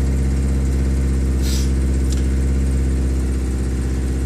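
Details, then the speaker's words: 1989 Geo Tracker cold start with engine ice cold: fast even idle about 2000 rpm after three cranks, loud deep exhaust drone with popping; owner suspects bad exhaust manifold nuts causing an exhaust leak. "nuts by the manifold i believe are bad so it's going to be loud in that regard but you'll be able to see the rpm on the tachometer"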